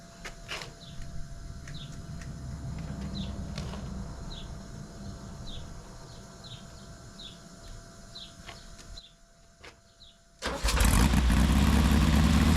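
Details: 1835cc rally engine with a Fuel link ECU, started after oil-leak repair (O-rings replaced, shroud refitted). Quiet at first, then it catches quickly and settles into a steady, even low rumble with no misses; starts right up, no leaks.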